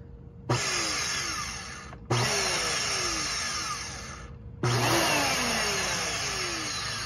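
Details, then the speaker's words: Trash-picked Bissell Powerforce Helix Turbo 68C71 vacuum with locked-up brushroll and broken foot release: switched on repeatedly, motor spins up to a coarse rasping whir over the fan note; rough motor running noise, cause unknown. "that don't sound too bad it could sound worse but it do doesn't sound the greatest either um it sounded kind of uh kind of grish wiish wiish grish kind of thing"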